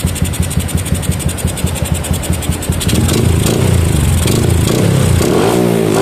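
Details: Yamaha Jupiter MX with a PE28 carburetor, after carb setting for hard starting: the single putts evenly at about three beats a second, then picks up and revs smoothly without stumbling; normal idle and revving.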